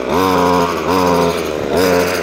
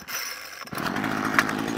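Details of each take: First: Ryobi strimmer previously worked on by someone else, after carb tuning, started off choke: engine blips cleanly from idle to high revs and back, crisp even response; running properly off choke. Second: Ryobi two-stroke strimmer previously worked on by someone else, hard to start, started after eight primer pumps on choke, now at half choke: catches then sputters and bogs when throttled; suspected carburetor fuel starvation.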